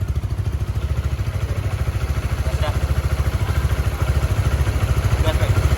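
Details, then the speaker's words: Honda Supra GTR 150 bored up to 180cc, first start after engine reassembly, before remap and dyno: steady, even idle thump of about 160 beats per minute with no knocking or ticking. "Nah permesinannya sudah rakit ya guys ya terus motornya juga udah nyala suaranya juga udah gak berisik aman pemasangan juga udah aman"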